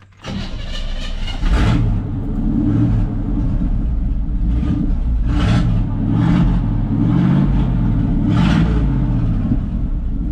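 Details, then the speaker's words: 1979 GMC Vandura, about 70 hp, muffler removed, straight pipe: cranks, catches and settles into a deep, lumpy rumble with raw exhaust pulses, quieter than expected; straight-pipe exhaust, no muffler. "Pretty quiet. I guess there's only so much 70 horsepower can do noisewise."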